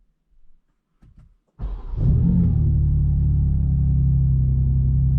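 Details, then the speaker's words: 2024 BMW M2 cold start in Sport Plus with exhaust valves fully open: starter whir, sharp rev flare, then a deep, steady rumble. Healthy, and deeper and about 10–15% louder with the valves open. "in my opinion definitely louder um maybe like 10 to 15% louder with the exhaust valves open and uh it's also just deeper so not necessarily louder but it's just a deeper noise uh with the valves fully opened"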